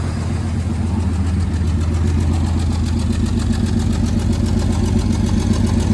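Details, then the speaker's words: 1997 GMC 3500 7.4L Vortec 454 idling, raw fuel smell, near-black smoke: steady idle with an uneven stumbling pulse about two beats a second; misfire on at least one cylinder, caused by cylinder 6 injector stuck open. "so yeah you can definitely smell uh raw gas out here with an idling so it's definitely missing on at least one cylinder and it looks like it's idle is fairly smooth as far as it's not kind of rocking around"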